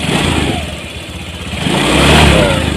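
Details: Honda Vario 150 scooter, previously dead and not starting, after throttle body service and ECU reset with idle set around 1600 rpm, AFR target 14.67 reached: idle then a clean throttle blip rising and falling smoothly, no misfire; normal revving.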